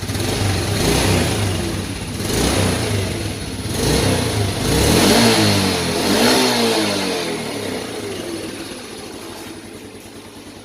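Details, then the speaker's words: Yamaha Vega Force after repairing hard starting and high fuel use caused by leaking valve stem seals lowering compression: light throttle blips swell and fall back smoothly to a steady idle, no knocks or misses; runs normally. "sudah dalam keadaan hidup ini saya coba gas-gas di tipis-tipis"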